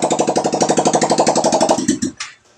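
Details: Yamaha Mio i 125 scooter that would not start, after repair: quick even firing pulses with steady beat for about two seconds, then clean switch-off; normal running.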